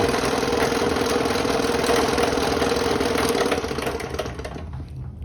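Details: Restored 30-year-old Delta P-20 scroll saw, running with a jury-rigged air hose attachment to show the blower works: even motor hum, steady mid tone and light airy hiss winding down at the end; normal running.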